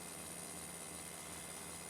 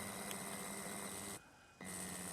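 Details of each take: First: Berdair pump driven by adjustable PWM signal generator at 30 Hz, 15% duty cycle, running much smoother than at lower frequency; quiet even hum with faint steady high tone, no pulsing or knocking; normal pump running. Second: Berdair pump driven by an adjustable PWM signal generator at 15% duty cycle: steady low hum with a thin high whistle; motor whine that disappears around 30% duty, frequency-dependent.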